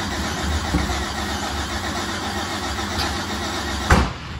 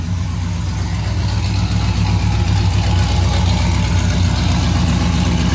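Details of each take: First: Race car engine while cranking: rough, uneven turning over and sputtering, then a sharp backfire pop; timing suspected out, not confirmed. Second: A big V8 that had been backfiring and suspected of a timing problem fires up and settles into a deep, steady idle with a loping low rumble and no misses, with oil pressure good.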